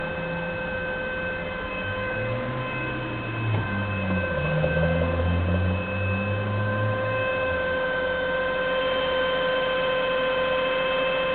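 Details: 1999 Saab 9-5 2.0T petrol, 156k miles, idling: a steady high-pitched whine that lasts until warm, caused by a thick oil build-up in the sump; fixed by removing and cleaning the sump and strainer/pickup.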